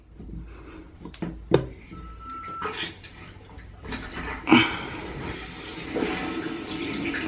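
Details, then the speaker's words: Toilet after replacing the vibrating fill valve: water rushes and trickles steadily into the tank as it refills, with no humming, buzzing or vibration. Normal refill after repair. "turn it up baby there we go alright so now water is filling up let's flush it see if it actually work okay no issues so far"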